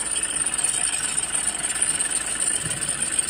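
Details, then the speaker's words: Toyota diesel (Innova/Fortuner/Hilux type) idling with AC on, engine bay: harsh rough whirring and rattle starting a while after startup; suspected fan belt or bearing, diagnosed as failing alternator one-way clutch pulley. "Jadi ini divonus fnya tapi saya memberikan vonus yang lain memberikan diagnosa hasil diagnosa yang lain yaitu disebabkan oleh One alternator"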